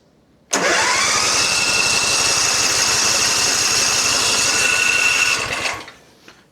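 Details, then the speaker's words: John Deere Z355E zero-turn mower, one spring missing, started on starting fluid: catches with a loud rush for about five seconds, then fades and stops firing; runs only on starting fluid. "I mean it might be it might just need to run on some starting fluid a little bit and then it'll work."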